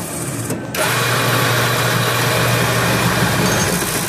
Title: Mechanical unit-Weird noise, running backward?